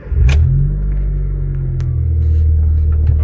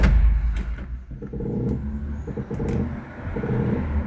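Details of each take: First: 2004–2008 Honda Fit, engine running, steering turned after spraying liquid vaseline on the front strut mount: only a steady engine hum with no creak; the dried-out mount noise has stopped, and the mount is to be replaced. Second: Honda Fit (2004–2008), engine off: short repeated creaking groans each time steering wheel is turned; front strut top mount (coxim do amortecedor) creaking, sprayed with liquid vaseline as a test.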